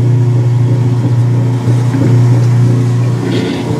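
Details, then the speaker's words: Whirlpool direct-drive washer after the fix of moving its drain hose, which had been causing incomplete draining: a strong steady motor hum with gurgling and sucking as the drain pump cavitates on an empty tub before the spin cycle. "it is cavitated it's empty and devoid of water has not even stopped to go into spin yet absolutely 100 perfect"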